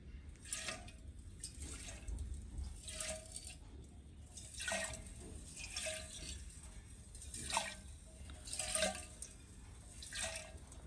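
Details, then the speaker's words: Petrol tank removed from a Villiers Mk12 HS stationary engine with reduction gearbox is shaken; rhythmic sloshing with gritty rattles from loose dirt and muck inside, debris rattling in the fuel tank. "can you hear all those pieces rattling around inside that's how much dirt is in this it's absolutely shocking it's probably one of the worst petrol tanks i've ever actually had for mucking it"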